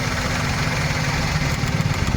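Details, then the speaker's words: Maruti Suzuki WagonR on CNG: rough idle with an uneven low pulse and faint ticking. Unplugging the No. 3 CNG injector stops the noise; that injector overflows gas, causing the misfire and poor mileage. It is replaced with a second-hand aftermarket unit. "यहां पर देख सकते हैं जो तीन number का injector है व हमारा सीएनजी ओवरफ्लो कर रहा है इसकी वजह से हमारा आवाज आ रहा है और मिसिंग कर गाड़ी"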